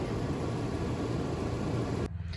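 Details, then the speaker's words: RV furnace removed for bench test: fan runs and a click is heard but the igniter never lights the propane, steady blower rush then cutout; sail and high-limit switches test good, fault traced to the control board. "kick it on listen for the click okay i just heard the click it's not letting the gas through i guess i still have more work to do"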